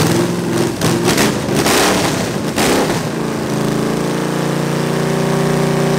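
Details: Chrysler 361 big-block V8 on a homemade run stand, first start, cam already broken in: runs rough then held at steady fast speed; won't idle, no accelerator pump, carburetor bowl leaking and needing work.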